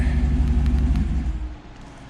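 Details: Steady deep idle rumble of a 2009 Dodge Ram 1500 Hemi TRX4 fades out cleanly within about a second, then one light click. The engine shuts off normally as remote start is cancelled, after a hood latch swap and remote start enabled via OBD software.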